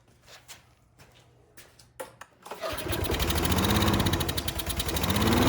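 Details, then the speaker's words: Troy-Bilt 21-inch self-propelled lawn mower that sat outside, choke on, air filter off: small engine fires up and surges unevenly, won't settle; carburetor or automatic choke problem suspected, carburetor later found dirty. "All right, based on that behavior, we got something going on in the carburetor, or something with automatic choke is possibly going on."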